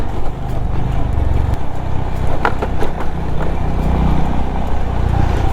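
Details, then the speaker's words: Honda CB350 RS motorcycle at 18,736 km, ridden hard off-road, thumping over rough ground with sharp khat-khat knocks as the front fork bottoms out; the front shock absorber bottoms out easily, while the rear is fine. "The front shock absorber it bottoms out it tends to bottom out very easily you remember that खट खट sound I mention about in one of my previous"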